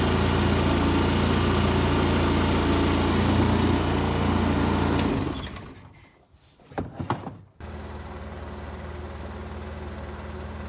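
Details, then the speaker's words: 2005 Polaris Ranger XP 700 EFI, idling too high after throttle body and TBAP cleaning, now after adjusting the throttle cable: steady, even idle at a settled low speed with no hunting or surging; normal idle. "well look at here listen to that running like a chant made an adjustment to the throttle"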